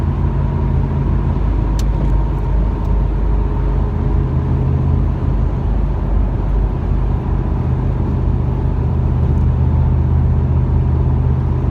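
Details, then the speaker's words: 1997 Camaro V8 at steady interstate cruise, about 60 miles after a new Opti-Spark and a fixed exhaust leak and check valve: a deep, even purr with no ticking or rasp; upshifts only change the exhaust note slightly. "now without that exhaust leaked it just purrs I mean honestly the only way you can tell it upshifts is you just hear the exhaust to change a little bit"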